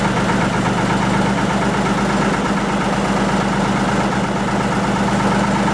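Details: 1940 Lister JP3 diesel single-phase 230 V generator test run after water pump rebuild, top radiator hose weeping: steady, even thump at constant speed, no knocks, misses or hunting; normal running.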